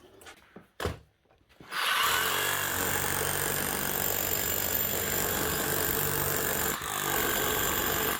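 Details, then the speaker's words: Hitachi DH40MEY rotary hammer after strip, clean and rebuild: chisel lock fixed so it no longer rotates, oil leak hopefully cured; after a couple of knocks it hammers steadily with a fast, even rattle, no stumbling or grinding. "Hopefully that'll sort out the oil leak and she should be hammering like a new machine again. Sounds good, looks good."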